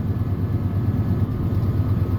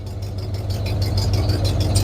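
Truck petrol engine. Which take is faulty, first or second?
first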